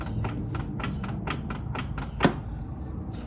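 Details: Saab 9-3 door latch after a broken handle-cable piece was held with a zip tie, door panel refitted: steady run of crisp, light even clicks, about four a second, no grinding; latch working normally after repair.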